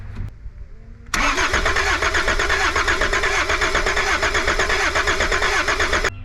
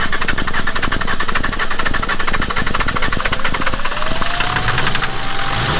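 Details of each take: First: Cold, abandoned Volvo 740 D24t turbo diesel cranks about five seconds with even compression pulses but never fires; makeshift glow plug switch possibly burnt up, no power reaching the glow plugs. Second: Volvo 740 D24t turbo diesel, revived after sitting, injector lines retightened and fresh diesel supplied: even clatter at fast idle with faint rising whistle, running steadily but idling a bit high.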